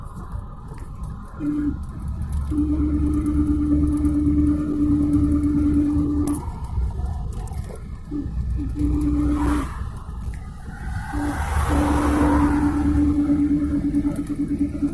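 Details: Car in gear, under load or engine braking, in 3rd, 4th and 5th: steady low hum that drops out and returns, stops with clutch in or neutral, unaffected by swerving, after sitting a day or two returns only after 10–15 km; some drivetrain bearing suspected, not hub.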